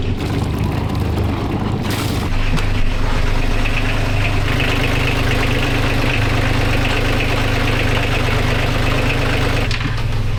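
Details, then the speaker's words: Boat diesel after engine mount repair, now running with alternator refitted to test and charge: steady, even low rumble at idle with no knocks, rattles or clunks; normal healthy idle. "alright, finally got the alternator back on, cleaned up my oily mess all around that whole area, put the tools away, and we're running it now just to test it with the alternator on, make sure everything's going smooth."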